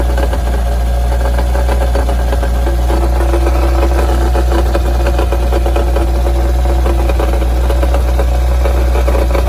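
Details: Mitsubishi Evo engine at steady idle, new balance shaft belt and rod bearings, accessory belt off: irregular heavy rattling knock about three a second at the pan bottom, quieter with clutch in; caused by wobbling loose flywheel.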